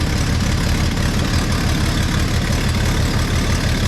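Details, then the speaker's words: Classic truck inline six idling with no muffler after collector gasket work: rapid uneven puffing tick over low rumble; suspected exhaust manifold leak at the rear on the replacement manifold, little air felt at the collector. "That sounds like a manifold leak. I'm not feeling a lot of air coming out of the collector, but I can't reach."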